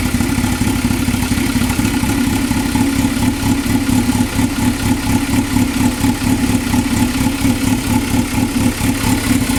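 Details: 2000 Toyota MR2 Spyder after engine replacement, water pump failure and all three O2 sensors changed: petrol engine idles roughly with an uneven pulsing note rising and falling about twice a second.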